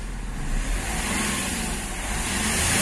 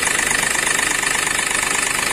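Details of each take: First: Accident-damaged Hyundai Xcent after repairing a broken intake manifold and fuel rail pressure sensor (code P0193, engine knock), codes cleared: smooth, even engine note rising and falling with the throttle over street noise, no knocking or stumbling; running normally. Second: Accident-damaged Hyundai Xcent with broken intake manifold and rail pressure sensor, code P0193, stalls after 10-12 seconds: rough idle with a fast, harsh knock; fuel rail pressure sensor circuit high from damaged sensor wiring.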